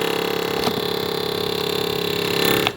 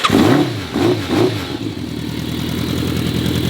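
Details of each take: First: Rare vintage Yamaha Phaser motorcycle with a redone fuel pump, carbs working well and a new radiator, on choke: a steady high whir with fast, even ticking runs a few seconds then cuts off; owner finds the fuel pump loud and is unsure it's normal. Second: Rare vintage Yamaha Phaser motorcycle with carbs working well and a redone fuel pump, cold start with the choke pulled: a few cranking pulses, then it catches and settles into a steady, even idle, running healthy.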